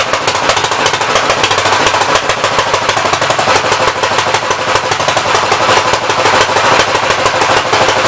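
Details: 1964 Gravely small engine running with the main jet stuck to the packing nut and unadjustable: runs fast but rough with a constant rattling, popping beat; flooding and running too rich.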